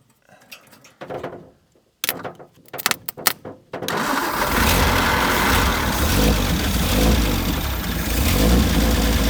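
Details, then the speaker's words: 1950 Nash Statesman engine, unrun for 23 years, started on 12 volts after priming fuel through the removed fuel filter cap: a few sputtering catches, then a strong, steady run with an even exhaust beat; normal running. "Wow, that thing sounds awesome."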